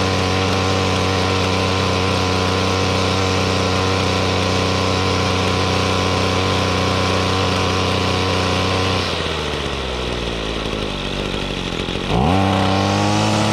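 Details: 2016 Ryobi RY251PH 25cc two-stroke full-crank powerhead with trimmer attachment: steady buzzing idle sags as the throttle changes, then picks back up cleanly; runs smooth and healthy.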